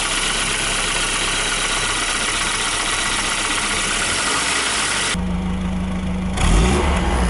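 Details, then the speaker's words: 1992 Volvo 940 GL, B230FB naturally aspirated red block with 531 head, cold idle: quick hollow knock about four a second over the engine note; piston slap that quietens as the engine warms. "so now with the motor cool i should be able to show you guys the piston slap i was talking about oh perfect"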